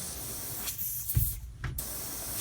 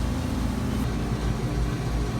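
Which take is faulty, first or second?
first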